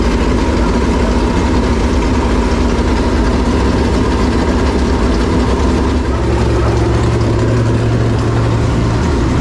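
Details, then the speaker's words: Clements Racing super late model race V8 after re-angling the oil pump that shredded the belt and loosening the pump belt tension: deep, loud, lumpy but steady idle, no knocks or squeals; sounds healthy. "Sounds real good, but basically we took and aligned it better. angled it better, I guess, really would be the thing."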